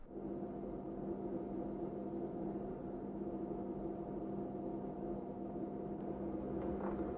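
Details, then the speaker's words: Capcom CPS2 arcade system from the 90s with old loud fan replaced by new 12V 0.16A 60×60×10 mm brushless fan: smooth, even quiet hum, no rattle or buzz; far quieter than original. "So as you can hear, the new CPS2 fan is considerably more quiet than the old CPS2 fan, and surprisingly so."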